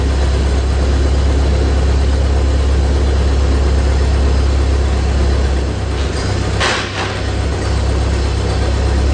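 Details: 1928 Ford Model A, first start after sitting for a very long time, once the fuel valve was opened: a deep, steady four-cylinder thrum with an even, loping beat and no knocks or rattles; the engine runs smoothly.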